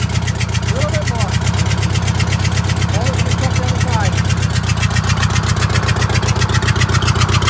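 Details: Vintage Scenicruiser bus with Detroit Diesel 8V71 two-stroke idling with a loping, uneven beat about two and a half per second; dead cylinder, injector on that cylinder bypassed so no fuel reaches it.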